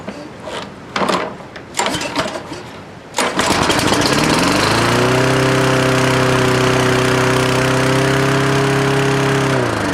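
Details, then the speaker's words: Toro Recycler lawnmower started after a few pulls while checking the governor: it revs to a high, steady howl that doesn't settle, running too fast; governor suspected, not confirmed. "okay that's still pretty fast it's at 90 degrees now I'm gonna move it"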